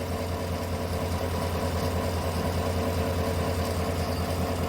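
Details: 2018 Chevrolet Tahoe idling lumpy and uneven, the low beat stumbling irregularly; codes P0300 random misfire and P0208 cylinder 8 injector, scan shows injector 8 not switching; cylinder 8 misfire from a dead injector, before spark plug and injector work.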